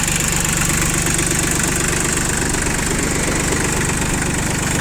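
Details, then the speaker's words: Shibaura P21F four-wheel-drive mini-tractor, three-cylinder diesel, 1210 engine hours: even, steady idle chug with no knocks or misses, no smoke; runs smoothly. "Работает, я думаю, слышно, что достаточно ровно. 3 цилиндра, мотор у нас здесь дизельный."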